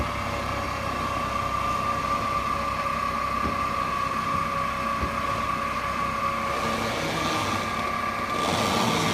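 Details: 2008 Mercedes-Benz C300 V6, stock exhaust, after a cold start: a steady high whine around one kilohertz holds its pitch over a quiet idle from a failing alternator; a replacement alternator cured the noise.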